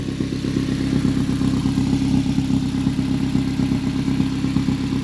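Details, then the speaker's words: Turbo Mazda 3 after the suspected bad mass airflow sensor was addressed and a loose engine ground on the manifold found: steady, even low idle with no stumbling or surging, already sounds a lot better, before a test drive as it warms up. "already sounds a lot better alright let's give this a test run"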